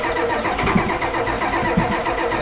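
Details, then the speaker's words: Diesel 1980s Ford wrecker with a manual transmission, long parked, running on fuel suspected to be heating oil: clattering, raised and slightly surging idle that climbs on its own. High idle with a runaway tendency, cause not confirmed. "it still sounds like it wants to run away a little bit yeah there it is okay just just wanted to race off there"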